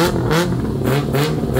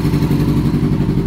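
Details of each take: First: 2000 Yamaha R6 after carburetor cleaning and synchronization, all four carbs aligned, mixture still too rich before leaning: sharp even throttle blips then strong steady high rev, much more aggressive acceleration. Normal revving. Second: 2000 Yamaha R6, carbs out of sync and vacuum lines found disconnected; one cylinder not firing, choppy cutting beat, lumpy stumbling idle. Misfire, one dead cylinder, before carb cleaning and synchronization.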